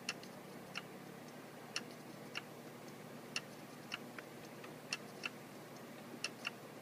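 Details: Seagate FreeAgent external drive: sharp irregular clicks about once a second over a faint hum, returning after a year; owner suspects the internal hard drive is failing.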